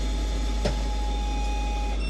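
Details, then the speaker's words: AtomStack Hurricane R8 rotary laser engraver: over a low fan hum, a steady mid-pitched beep for over a second, then higher tones. Autofocus warning that the probe can't reach the workpiece; it needs to be raised on wood blocks. "You hear that sound? That's saying, hey, I can't reach that far."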